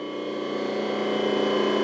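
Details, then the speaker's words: Shop rotary phase converter after rebuild, idler motor bolted down on self-locking M10 nuts and restarted: smooth steady hum, no knock, rumble or squeal, much quieter than before. "it's time to switch it back on and do a [Music] test I got a say it's a lot quieter than it was in the"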